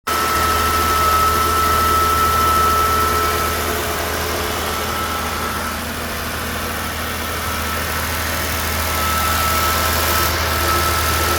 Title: New 2023 Jeep Wrangler making whistling noise on cold start up